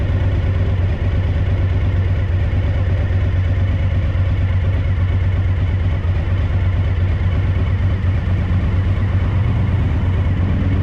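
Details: A Suzuki DL1000 has a low, lumpy idle with an uneven beat and dropped exhaust pulses: the rear cylinder is misfiring.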